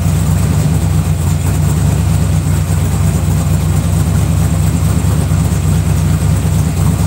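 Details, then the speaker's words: Rebuilt 327 V8 on first start of 2019, ahead of cam break-in: deep, steady rumble with light revs and no knocks; an earlier noise went away, which the owner puts down to the metal warming up. "sounds sweet now how's that noise well must be the metal warmed up"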